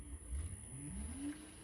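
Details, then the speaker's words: Siemens dishwasher with error E25, test restarted after a no-fill problem, tap confirmed open: quiet low hum rising in pitch into a steady whirr as the pump starts the initial drain at cycle start; normal drain pump start. "donc là logiquement la pompe se lance c'est normal tout début tu les la vaisselle commence par"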